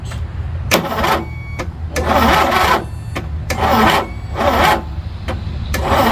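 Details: Craftsman Turbo 20 hp Briggs & Stratton opposed-twin mower sitting about five years, WD-40 in cylinders as starting fluid: short sluggish labored cranking bursts, no catch; suspected bad starter, starter replaced, still poor rotation; valve clearance fine.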